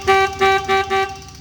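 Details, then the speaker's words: Vintage ATV/three-wheeler just revived after carburetor and coil-wire repairs, key on: four short, even horn blasts with a clean steady tone and no crackle or dropout. The horns work properly. "The horns work. Well, they did, but you gotta have a key on."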